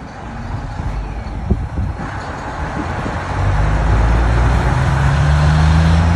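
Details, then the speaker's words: Cummins V12 1-megawatt diesel generator, first start: deep, steady rumble building to an even run after start-up, no knocks or misses; normal running, healthy engine. "Sounds like a runner. Sounds like a wrap."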